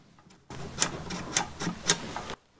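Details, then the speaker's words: Riding/zero-turn mower that won't start, parking brake safety switch worked by hand: a few crisp, sharp clicks showing it moves freely and works, so it can be ruled out; safety switch clicking freely. "you just want to make sure these are moving freely maybe take some contact cleaner and spray them but if those are all freed up you can hear them clicking"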